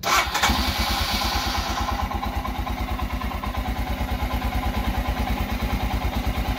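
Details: Royal Enfield Himalayan in hot weather, choke lever held: starts, then slow loping thump about three beats a second that sags and wavers before cutting out; also cuts out while riding, owner suspects fuel injector or battery problems, cause unconfirmed.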